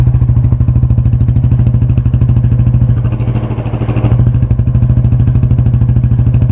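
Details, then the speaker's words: Yamaha Fazer 250 single with a strange engine noise, heard before full teardown: the idle thump sags and recovers, with rpm climbing and then dropping to about 1000. The engine is badly out of tune, with an unstable, hunting idle. "Esse é o motor dela e ela tá completamente desregulada"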